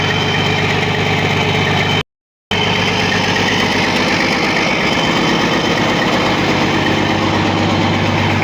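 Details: Caterpillar C13 diesel after a major overhaul: deep, even idle holding a constant beat, no knocks, misses or hunting; oil pressure 3, fuel pressure 4.3, all normal, healthy.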